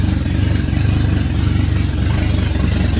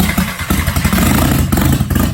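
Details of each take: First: VW Jetta just after first start following head rebuild: loud, raw low thumping idle at a steady beat with pulses straight out of the ports, because the exhaust manifold is not fitted. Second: VW Jetta, first start after head rebuild with exhaust manifold off: a rough, loud clattering catch quickly picks up into an uneven rev with open exhaust bark; the engine fires and keeps running, no leaks.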